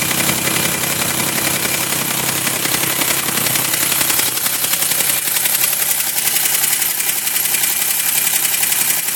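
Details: 2005 Chevrolet Equinox at idle after both heads were rebuilt (one crack welded and machined) and the head gasket replaced: a steady, fast, even knock of about four per second; an engine tune-up additive later cured it.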